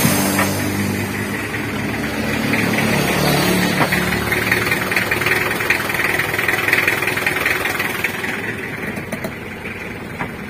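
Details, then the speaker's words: Mitsubishi L300 diesel after repair, heard from underneath, clutch pedal released: smooth, steady idle with no grinding or harsh rattle; the rough transmission noise is cured, its cause being the broken clutch disc springs. "kita dengarkan di bawah ya untuk posisi kopling atau pedal kopling dilepas untuk suara kasar ketika pedal kopling dilepas sudah sembuh ya"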